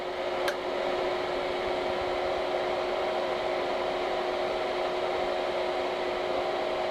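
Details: Air compressor for 4500 PSI airgun tank fills, with a temperature gauge and a hefty fan about twice as loud: steady even hum, two constant tones over fan rush, no knocking; like a quieter construction-site compressor, normal.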